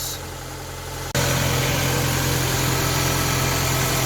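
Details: Ford Focus Mk1 Sigma petrol engine starting just after oil and filter change: catches and settles to even steady idle, faint belt whir, no knocks or ticks; healthy, belts noisier than engine.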